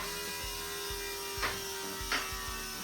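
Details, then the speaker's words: Boosted big block Chevy after timing chain break and new cam: electric fuel pump hums steadily with soft pulses as it pushes air; fuel expected at tank return line, then 70-75 psi fuel pressure. Normal fuel pump priming. "hear that's pushing the air. >> Pull the um cap off and there should be a little bit of fuel coming out of this return line in the top of the tank right here."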